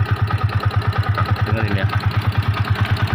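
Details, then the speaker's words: Yamaha Vixion that died while riding and wouldn't restart, engine apparently opened before, running after timing chain, tensioner and coolant replacement: steady single-cylinder idle with a light regular tick on each firing pulse, piston slap. "nah ini ini suara kemlitiknya ini ini suara piston ini teman-teman"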